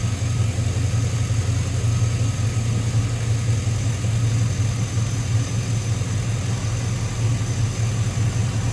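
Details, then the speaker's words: 2005 Chevrolet Tahoe 5.3 L 4x4 that stalled and ran rough with P0174 lean code, new fuel pump, after a ground fix: deep, steady low rumble at idle, no stumbles, surges or misfires; runs smoothly. "i think it's probably gonna run way better now than it's ever run in a long time"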